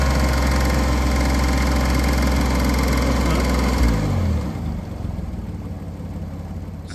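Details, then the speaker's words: 2001 Porsche Boxster S heard on the way home: quick regular light knocking at idle, about three to four per second, then engine shuts off; owner fears rod knock, loose plug among other possible causes. "naturally I'm in panic mode because that sounds like rod knock to me. And a lot of other people are concurring that it sounds like rod knock."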